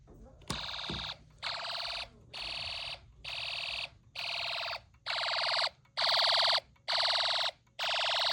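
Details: Snap Circuits hobby fire alarm system test, just after a loose wire was fixed: nine even, clean horn blasts about one per second; alarm sounder working normally.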